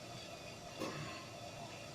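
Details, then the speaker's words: Dynamo after replacing only the rear bearing, which was noisy from being dry or rusty: even, quiet whirring hum with no wobble and little vibration; normal smooth motor run. "Tidak ada goyangan, jalan putarannya jadi halus, terus getarannya sedikit sob."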